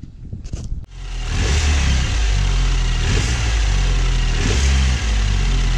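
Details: 2012 BMW 528i (F10) after tightening the turbo wastegate and refitting the cover, which fixed the rattle: engine revs firmly and evenly with no metallic rattle under load; normal revving.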